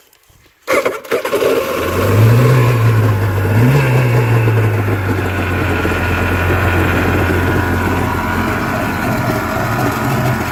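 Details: Yamaha WaveRunner engine after top-end rebuild with new piston and rings, water supply on, throttle slightly up: fires and catches, blips briefly, then holds a steady, crisp buzzing idle without misses; runs healthy.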